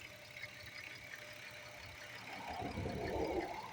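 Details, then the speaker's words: 2010 Dodge Grand Caravan petrol engine idling with uneven, lumpy beat, about three stumbles a second; check engine light for cylinder 4 misfire, earlier cylinder 2 misfire blamed on water leak; owner plans to check spark plug gap. "The stupid misfire. Yeah. That is that is the what the sound like."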